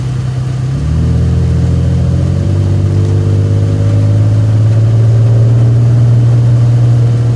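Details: Isuzu Trooper with a bad transmission driving backwards: the engine pulls low and steady, rising in pitch and holding under load while reversing; the transmission is struggling, exact fault unclear.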